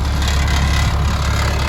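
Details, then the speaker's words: Caterpillar 3126B diesel in a 2000 Holiday Rambler Endeavor after oil pump and bearing replacement, warming up: deep, steady idle with loose metallic clangs from the mud flap rattling against the rusty original exhaust; harmless, not internal. "just that, it's just the whatever you call it, mud flap rattling against the exhaust. See? So that's nothing to worry about."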